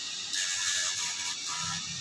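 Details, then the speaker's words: Honda CBR150R radiator fan, overheating issue, tested by bridging the two copper wires of the four-pin connector with ignition off: steady airy whoosh with no rattle or scrape; fan spins normally, fault resolved. "Jika kedua kabel tembaga ini dihubungkan tanpa kunci kontak menyala, kipas biasanya akan langsung berputar. Melihat. Masalah ini sudah teratasi, kawan."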